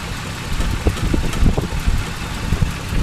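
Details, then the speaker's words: 1949 Dodge with fluid drive, original unrestored engine with oil bath air cleaner, 6-volt system: soft, low, even idle with steady rumble, no knocks or ticks; quiet, healthy normal idle. "you hear how quiet it is the original oil bath"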